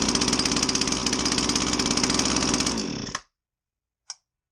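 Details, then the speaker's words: Husqvarna 322R brush cutter, unused for a while, fresh fuel possibly added on top of old fuel: rough, uneven two-stroke beat that sags and dies, bogging with no power; carb rebuild planned, cause unconfirmed. "it just kind of bogs it doesn't have any power"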